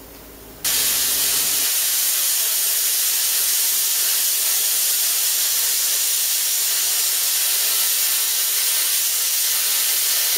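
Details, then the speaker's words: Plasma cutter at just under 100 psi on the same steel, still using the tip damaged by the earlier low-pressure cut: steady loud even arc hiss with no sputter, cutting properly and faster; normal cutting with correct air pressure. "so i'll just show you the difference and this is the difference even with a buggered tip and it just shows you how much the air pressure makes a"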